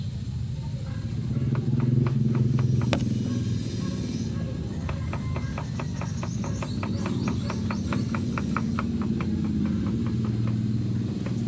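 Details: Ford EcoSport idling in neutral: steady idle rumble with sharp, fairly regular clunks about three or four times a second.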